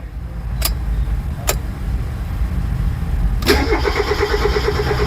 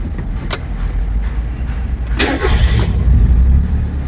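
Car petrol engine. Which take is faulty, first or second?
first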